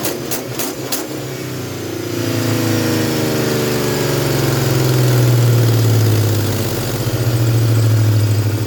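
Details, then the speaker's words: 1998 Ford Mustang GT V8 after replacing idle air control valve and sensors: catches after a few clicks, revs hang then sink slowly to idle; not fixed, owner suspects throttle position sensor or needs run-in time. "so I honestly thought I would fix it then I heard that they run it like this for a while and that uh it goes away and then they can rev it rev down faster"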